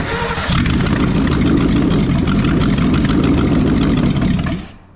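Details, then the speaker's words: 1983 Mercury Capri RS 5.0 V8, sat in a field over 20 years with a previously frozen motor, after fixing a zero-gap spark plug: short crank, then fires on brake cleaner as fuel and runs strongly about four seconds before dying. "All right. Well, I feel pretty good about putting the rest of it back together now. I think that can. I think it's going to run."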